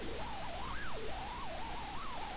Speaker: hear some funny swishing whistling sound that's an artifact of my office computer audio system which I have been completely unable to sort out and figure out why it does what it does